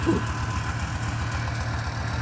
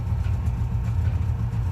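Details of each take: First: Subaru 360 van two-stroke warming up after its first start, smoking, with a gas leak. The idle is uneven and lumpy with a dull, lazy burble and poor response; ignition timing is about 10 degrees and needs about 15: retarded ignition timing. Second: Subaru 360 van two-stroke after repairs, including a new master cylinder. A fast, steady low burble at about 1500 rpm with no misses or knocks: a normal idle.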